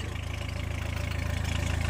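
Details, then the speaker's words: Diesel van/car at idle: loud, raspy fast even chuffing with each firing; owner suspects an exhaust leak and plans to have it lifted and checked at the garage. "Et il y a un gros bruit de peau d'échappement bah comme vous entendez ça. Je vais aller voir ça tantôt."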